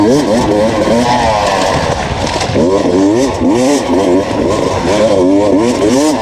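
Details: 2019 Beta enduro test bike on a Finnish enduro track, wailing and surging while barely gaining pace under load. It struggled through two laps and failed to climb a hill; the clutch was slipping.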